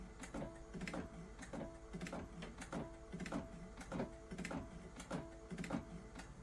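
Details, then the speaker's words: Sublimation printer printing on normal quality for a heart puzzle: sharp clicks repeat about once a second over the running hum; abnormal mechanical clicking during printing, cause unclear, print looks good. "some clicking this sounds weird but that picture looks good though"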